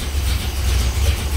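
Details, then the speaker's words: 1964 Dodge Polara 383 V8, revived after sitting for years, running on old gas with no coolant, 60 psi oil pressure at idle: deep, even rumble with steady loping pulse, no ticking or knocking; healthy normal idle. "that's it 383 fire right up boom 60 PSI oil at idle there sounds great yeah it sounds like a sounds incredible"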